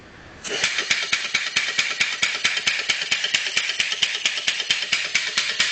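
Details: Two-cylinder former Sears air compressor with 2.5-inch stroke, converted to a steam engine with a homemade cylinder head and flywheel-driven actuator valve system: crisp, even, hissy exhaust chuffs about two per second, no knocking; running normally.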